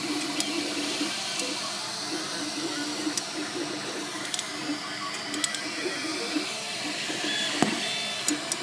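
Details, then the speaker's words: MakerBot Replicator 2 3D printer running: busy hum with irregular sharp clicks and faint brief squeaks, coming from the side opposite the motors. "It seems to be coming from this side, the opposite side of the motors, which are over here. Here I'm getting a little squeak there too."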